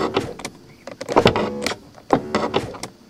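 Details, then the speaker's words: 1991 Mercedes-Benz 420 SEL power window: short bursts of normal motor whirring, but the glass does not move going down and barely moves going up. Unusual failure, cause not yet found. "so it sounds like I write a regular power window motor when it goes down of course glass doesn't move anywhere and now I'll raise it up you can see it move just a little bit"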